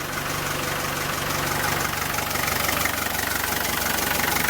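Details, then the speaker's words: 1987 Land Rover Defender 110 12-passenger, recorded at the open hood: a steady, even idle with a regular firing beat, no knock or misfire, and no smoke from behind. The engine sounds healthy. "But I just wanted to give you an opportunity to look at the motor and hear how it sounds. And take a look at, there is no smoke from behind."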